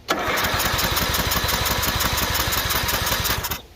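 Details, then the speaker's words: Tractor from an auction haul, cranked in override: about 3.5 s of steady, even cranking at roughly three pulses a second, never catching. Carburetor problems are suspected, as it has a fuel shut-off. "well so the battery just didn't instigate it so let's give it some gogo juice and i'm gonna bet this had carburetor problems because it's got a fuel shut off in it"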